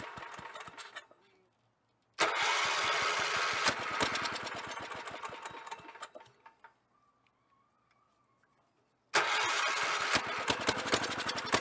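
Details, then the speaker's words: 1983 Avenger 400 ATV, 318cc Kohler K181 8hp single, revived after sitting: two bursts of fast even cranking with firm compression, briefly firing on priming fuel (two-stroke gas poured in plug hole) then dying; strong compression. "crank and see if there's spark and then we'll put some fuel in there and see if we can get her to fire off"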